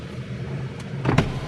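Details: 1987 BMW 518i E28 with the ignition on but the engine not running, since it wouldn't crank (starter or seized engine suspected); brief smooth motor whir as the electric window moves, with no grinding or straining, normal power window operation.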